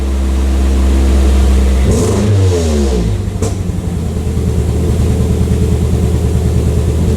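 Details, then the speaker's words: 2003 Pontiac Vibe GT at idle: lumpy, uneven idle with stumbling pulses and occasional pops and a shaking muffler, a scanner-confirmed cylinder 2 misfire traced to a faulty ignition coil. "right now we're misfiring cylinder 2 is not happy part of mechanicing is knowing but part of mechanicing is also senses listening and feeling you can hear that thing sounding completely different and you can occasionally hear it pop that's going to be a misfire"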